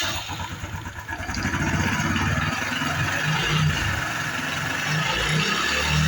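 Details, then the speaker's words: Honda Biz 110i that is hard to start cold and won't hold idle until hot, fuel pump pressure correct, no error codes: the engine revs with a hard, rapid, rod-like knock about four per second at idle. "Outra coisa também, pessoal, ela tem um barulho no motor, um barulho muito forte aí, como se fosse na biela, pessoal. Biela batendo, né? Uma roncadeira muito forte no motor."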